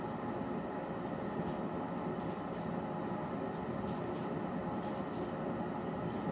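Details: Harman P61C pellet stove, owned three years, used as sole home heat; steady, even whoosh of fan and combustion air with light ticking of pellets dropping. Normal running.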